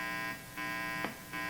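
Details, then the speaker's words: Old guitar through an amp: steady, buzzy hum with many overtones that drops in level twice, caused by a grounding fault (missing string ground), fixed by adding a ground wire. "wow this is a really noisy old guitar that hum you hear is a ground issue"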